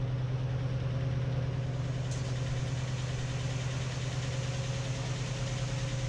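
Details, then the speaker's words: 1955/56 Oldsmobile Rocket 88 with the 324 V8, sat 22 years, first idle after revival with good oil pressure; a big vacuum leak is suspected: steady, even low rumble with no knocks or misses. "Alright, she's idling. That's awesome."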